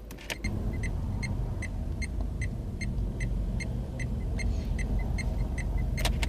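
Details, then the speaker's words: Dacia Duster while driving: steady, even indicator ticking about twice a second over road rumble, an unusually loud, annoying relay click; normal turn indicator. "Could this have the most annoying indicator noise I've ever heard? You hear the same noise with the indicators."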